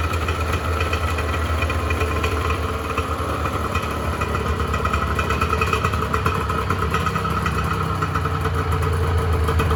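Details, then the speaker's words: 1986 Honda NS400R 400cc two-stroke triple, started after 11 months: crackly, uneven burble holding a steady idle with light popping from the pipes; a healthy triple warming up. "I'm not going to be riding it again this year we'll just Point leaving the carburetor's full of fuel so we'll run them down a little bit"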